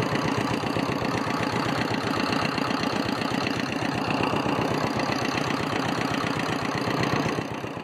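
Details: Abandoned homemade mini dumper, single-cylinder air-cooled Petter diesel, sat about 10 years; after freeing stuck injection pump and injector needle: sharp steady chuffing at even beat, holding speed before easing off; healthy run.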